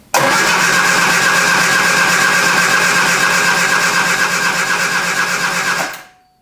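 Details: 1973 Triumph Spitfire after sitting three years, in neutral: starter spins engine evenly for six seconds but never catches; cranks, no start, thought to lack fuel delivery.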